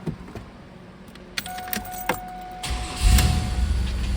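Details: 2000 Chevrolet Camaro starting after exhaust leak repairs: some clatter and a brief chime, then the engine settles into a soft, even idle; the repaired spots are sealed, but the exhaust cutout still leaks.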